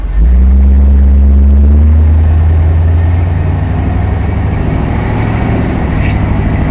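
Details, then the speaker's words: 1979 Chevrolet Camaro with new engine, first drive, stock carburetor setting, under load: loud, deep exhaust pulls strongly through an automatic shift, then holds smooth, even drone with no knocks or misfires. "oh yeah there's the shift doesn't the motor just sound a million times better than it used to"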